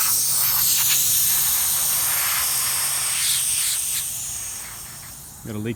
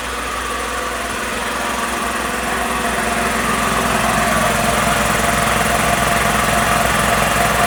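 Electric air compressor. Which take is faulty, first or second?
first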